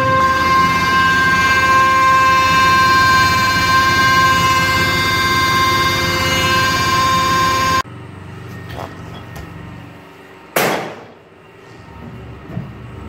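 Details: Mini hydrovac slurry vac: supercharger believed from a 3.8 L V6 (M90 rotors likely) plumbed backwards as a vacuum pump, driven by a 15 hp Chinese motor; loud steady high whine over rough engine beat, stops abruptly; normal running, noisy.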